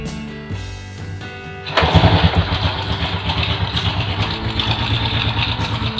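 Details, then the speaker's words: 1996 Honda Astrea Grand carbureted underbone, electric starter broken so kick-started: a kick, then the small single catches and settles into a quick, even putter with no knocks; engine smooth, bike well maintained. "mesinnya cukup halus, suara mesinnya ya. Masih cukup terawat motornya."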